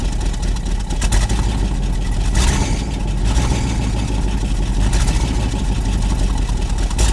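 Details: Long-sitting carbureted truck on fresh gas from its own tank and fuel pump, started with key, microphone down by the exhaust: deep steady exhaust rumble holding an even idle on its own, no stumbling or misses; normal idle.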